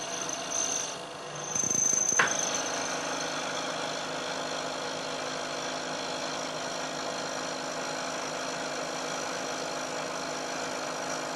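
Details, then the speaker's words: Milling cut on a part damped by stacked sliding plates, similar depth to prior chattering cut; after brief clatter, settles into even steady hiss without ringing squeal, no chatter, better surface finish. "I'm taking a cut this time of roughly equal depth to the cut I took before and you'll hear that there's a very big difference in the noise produced especially as the cutter gets out towards the end of the part and also closer inspection will show that there's a better surface finish as well"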